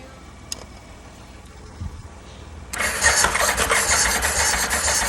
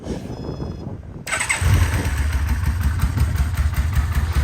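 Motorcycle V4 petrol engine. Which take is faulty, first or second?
first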